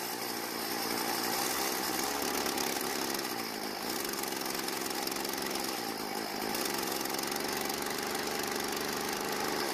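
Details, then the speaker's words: Stihl FS36 two-stroke trimmer, fresh out of storage and not starting, carburetor L screw turned about half a turn counterclockwise for more fuel: high buzzy note holding a steady idle with small pitch shifts; now starts and idles. "so it starts and runs after a slight adjustment"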